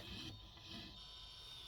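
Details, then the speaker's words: XTool F1 laser engraver extension: dry metal-on-metal grinding as the head travels during framing; free up to a point, then must be forced one way, calibrates fine on the other side; owner suspects a design flaw. "So try to pull. You can hear it's grinding metal on metal."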